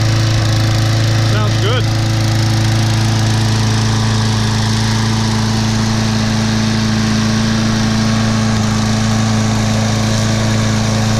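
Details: Craftsman mower, Briggs & Stratton 6.75 gross torque 190cc engine, running after suspected thin 0W-20 oil replaced with SAE 30: steady even hum at constant speed, no misses, knocks or surging; watching muffler for oil smoke, owner thinks it's overfilled.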